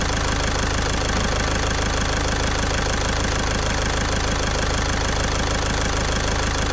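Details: Caddy diesel after a week-long repair in which a stuck injector was removed with a slide-hammer puller kit: steady, even idle at constant speed with regular clatter, no misses or extra knocks, nice and quiet. Normal idle.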